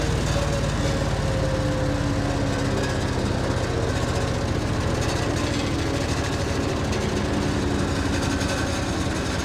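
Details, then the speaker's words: Single-cylinder Vanguard engine on Bandit 65XP, first start with a little choke after converting the mechanical fuel pump to a low-pressure electric pump and new feed tube: steady even beat at constant speed, no stumble or surging; runs well. "Look at that. She's old. But I tell you what, with that new feed tube in her, she does pretty good."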